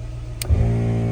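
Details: ARB front air locker compressor on a 2000 Toyota Tundra, during switch and airline install testing: a click, then a brief steady low motor hum that stops cleanly, air heard moving; normal compressor cycling. A crossed wire was later found and fixed.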